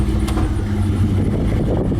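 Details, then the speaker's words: Vintage truck with a 5.3 V8 and its factory A/C compressor newly installed, idling as the A/C is switched on: idle kicks down with the load but stays even, no squeal or rattle. Normal, blows cold instantly. "Go ahead and start it up. You'll like kick down once I turn it on."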